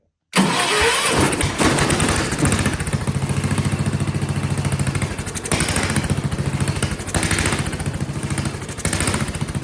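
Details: Vintage Kohler motorhome generator, flathead engine (guessed 400–500 cc), after adjusting the carburetor main adjustment screw, no better: runs with hunting beat rising and falling every few seconds; owner suspects the carb wants slight positive fuel pressure (spring under float) but is only gravity-fed.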